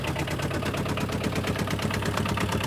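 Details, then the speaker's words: 2009–2011 Aixam Mega Multitruck, about eight years old, with a replacement Kubota Japanese tractor-type diesel after the original blew: loud, fast, even idle clatter at a steady rhythm; noisy but normal. "so as you can hear it's quite noisy that's another thing that people don't really like hear it because they all have the same engine more or less this one has a clue go to Japanese tractor engine"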